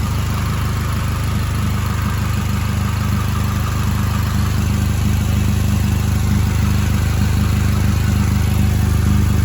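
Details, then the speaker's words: Honda Civic idling, heard from under the car: steady low idle with soft puffing about twice a second. The exhaust leak is in the flex pipe itself, not its welds, possibly from bottoming out. "gonna go and start it up, crawl under the car and see if we can't locate the exhaust leak. You can hear it. Does not sound good."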